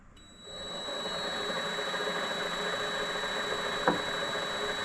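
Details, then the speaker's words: Vevor MX400/210 mini lathe run without the spindle engaged, after fitting a redesigned belt tensioner idler pulley with two needle bearings; smooth, even motor hum with steady high whine and one stray tick, bearings spinning freely with no rumble. "running smooth and this is uh Dave's redesigned uh bearing setup with the two needle bearings"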